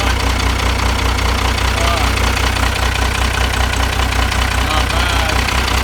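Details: First-generation Dodge after rewiring with a fuse panel and battery terminals: low, even idle beat holds steady with no misses or knocks; normal idle.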